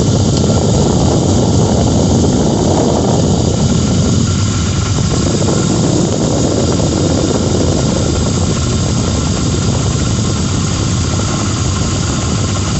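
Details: 2006 Lincoln Town Car engine just started cold, idling; a whirring rattle at the front, audible outside the vehicle, blamed on a bad harmonic balancer after coil packs, plugs, idler and tensioner pulleys, alternator, belt, oil and cam sensor changes didn't help.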